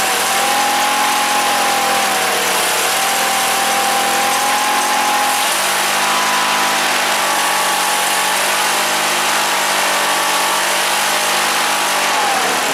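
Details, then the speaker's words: Wheel Horse GT-1800 Workhorse with Briggs engine, after fuel pump repair: slow wavering idle, speed drifting, keeps running only on choke; carburetor fuel problem, owner suspects float and a needed carb rebuild. "Back off choke. In this instance, it sounds like carburetor needs to be rebuilt."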